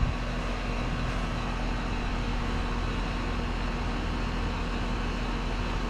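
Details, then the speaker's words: Split-system condenser after replacing restricted condenser coil: even steady hum, no rattles or surging; supply 54°, return 72°, 18° temperature difference, cooling great; normal running. "so we're going to let this run i do have my indoor probes in my supply is 54 my return is showing 72 so right now i've got an 18 degree temperature difference which is cooling great"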